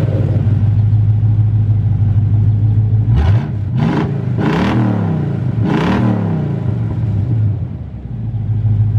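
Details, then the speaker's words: Buick Roadmaster wagon V8 outdoors with newly installed SPELAB electric exhaust cutouts open: deep steady rumble with several sharp rev blips climbing and falling cleanly, loud open exhaust, no misfire; healthy, sounds better than expected. "Sounds pretty good. Way better than I was expecting, to"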